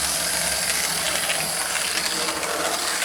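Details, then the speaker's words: Lima Express Parcels van model railcar after 3D-printed replacement of a broken small gear, lapping the track: light fast even gear whir with faint ticking; meshes fine, new gear probably needs running in. "actually being a new gear it probably needs to get run in a bit of a tank"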